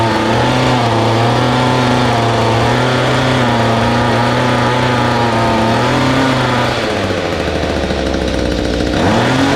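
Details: Mantis two-stroke rototiller, hard to start, brittle fuel line and wet plug: engine buzzes unevenly, sags and drops pitch then picks up, struggling to hold speed; rough running from dirty, misadjusted carburettor, fixed by carb clean, new fuel line, plug, hi/low idle screw adjustment.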